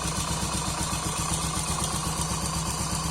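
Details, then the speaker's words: Honda Pop 100 motorcycle at idle: small single with steady light clatter about four times a second, "teco teco"; slack cam timing chain slapping against the top, confirmed when cover opened. "Pronto, quando a corrente folga demais aqui, ela fica topando aqui em cima, tá vendo? Ó, ela tá topando aqui, por isso que ele faz aquele barulho. Um teco, teco, teco, porque ela tá topando aqui em cima."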